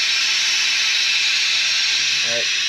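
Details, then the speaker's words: F-4 Phantom jet with compressor shut down and air accumulators charged: a steady, high hiss holds unchanged, pressurised air escaping from a sizeable leak; exact location not yet confirmed. "all right compressor shut down air accumulators are charged up but I don't know if you guys can hear that or not but uh that's a leak"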